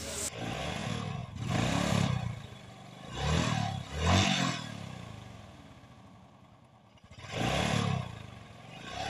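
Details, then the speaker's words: Honda XRM 125 motorcycle engine revved: rough, gravelly grinding clatter like stones being ground inside, swelling with each throttle blip, from worn crankshaft main bearings. "XRM 125 from Rosales Pangasinan at TMX 155 pakinggan natin angar ng xr m 125 na to Dahil parang may ginigiling na bato sa loob ng"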